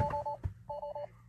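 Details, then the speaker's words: Tesla Model 3: two short two-tone chime bursts in a quiet cabin with alert "electrical system power reduced"; failing 12-volt battery, car wouldn't go into drive or reverse. "electrical system power reduced non-essential features service is required"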